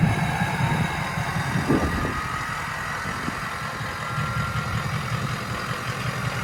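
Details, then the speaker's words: Ford 6.0 Powerstroke King Ranch idling with a newly installed KC Stage 2 10-blade VGT turbo during the VGT relearn: a thin high whistle drifts up in pitch over the diesel clatter as the vanes close, then opens to a deeper tone. Normal turbo whistle. "so what you guys are going to hear when it's going through the relearn process is you'll hear the veins close they hear that high-pitched whistle and then you'll slowly hear them start to open up and you'll get that deep tone"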